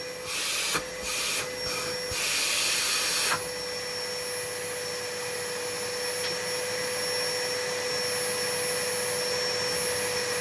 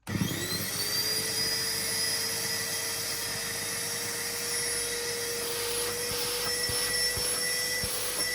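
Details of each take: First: Numatic vacuum cleaner after homemade motor brushes, filter refitted, left running outside to wear in: steady even high motor hum after brief handling bursts; normal running, though suction seems modest and a winding may be cooked. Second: Numatic Henry HVR200 vacuum after fitting homemade new motor brushes, running without filter or hose: steady high whine with faint uneven flutter; better than before but not right, smells burnt, owner suspects a cooked winding, weak suction.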